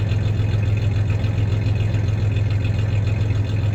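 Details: 1993 Ford Ranger 3.0 V6 idling then a little rev; uneven loping beat about three to four times a second, slight steady misfire stumble; any clanking is loose tie-downs in the bed, not the misfire.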